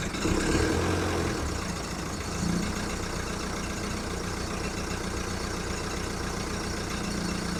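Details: VW Golf mk1 1.9 TD turbo diesel warming up after first cold start following 5 months storage: clattering idle with uneven hunting beat and bumps in speed; rough cold idle.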